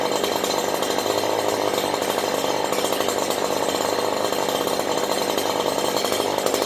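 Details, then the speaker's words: Stihl HL94K hedge trimmer running after blades were sprayed and cleaned; high, steady two-stroke buzz with smooth blade hum and no gearbox chatter or rattle, normal running. "not not one bit of chatter"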